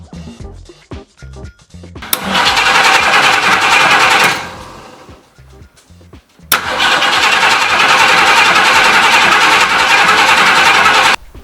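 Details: 1968 Ford Mustang V8 with newly plumbed inline fuel pressure gauge reading 10 lb into the carb (owner suspects too much); fires up twice, holds a few seconds, dies each time; stalling from low ignition coil voltage.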